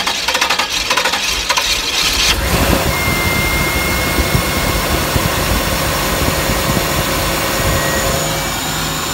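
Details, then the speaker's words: 1992 Pontiac Trans Am, first start after sitting about a year and a half, fuel reaching the rail: about two seconds of choppy cranking, then catches into a loud, steady run; long crank before starting. "unburned fuel in there from a head cranking but sounds good still it's been quite a long time since it ran"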